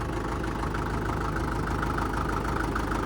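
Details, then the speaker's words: 1947 International Harvester TD-9 gas-start diesel crawler after magneto rebuild; steady low even idle with heavy regular knock each firing, the normal fuel knock of its American Bosch injection; solid running machine. "Running good. You'll notice it has a real heavy fuel knock. That's the American Bosch fuel systems are notorious for that."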